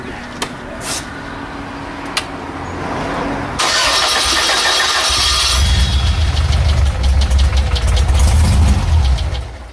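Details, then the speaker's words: VW engine converted to run on vapor gasoline, first test: after a few cranking attempts it catches and settles into a fast, busy idle well above normal; high idle, expected beforehand, cause unconfirmed. "Probably idle up pretty high."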